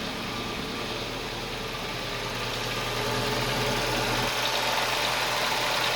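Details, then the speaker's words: Toyota engine idling after start once fuel pressure built up: smooth, even idle with steady rhythm, no knocks or misses; running cleanly and healthy. "is fuel pressure build up typical toyota that's beautiful"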